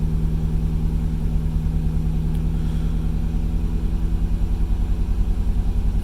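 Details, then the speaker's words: Third-generation Camaro with TBI fuel injection, after sluggish start, fuel gauge reading low, weak fuel pump suspected: low idle with uneven loping pulse about three beats a second; rough idle misfire, possibly plugs, wires, ignition or dead cylinder, unconfirmed. "hear how rough that idle sounds that's a misfire that can be bad plugs and wires"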